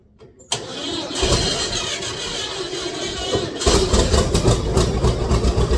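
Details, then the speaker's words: John Deere 60 two-cylinder tractor, cold start at 7°: brief cranking, catches at once into steady lumpy two-cylinder beat; healthy cold start. "she fir right up 7° today so she she fired up pretty good for it being that cold"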